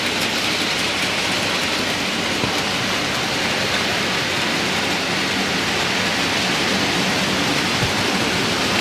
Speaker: And as you can hear, no banging and rattling. Fairly quiet, so quite pleased about that. All running smoothly.